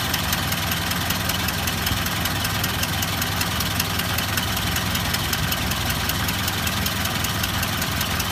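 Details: Ford Model A at idle, before repair: sharp, rapid ticking knock in time with the slow idle. It can't be heard with the spark advanced or cylinder #4 shorted. Cause was an exhaust manifold gasket leak, disintegrating at the rear; replacing the gasket stopped the noise.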